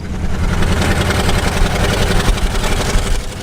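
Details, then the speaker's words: Long-abandoned Pontiac Catalina V8 on a first drive under throttle: lumpy, uneven drone with a couple of pops, running on fewer cylinders and getting worse; misfire. "on I think it's running on fewer cylinders it's getting worse"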